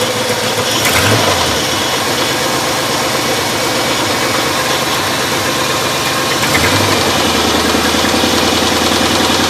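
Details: 1995 GM B-platform LT1 V8 at 278k miles: loose, uneven knock about three or four per second over a rough idle; spun bearing knock.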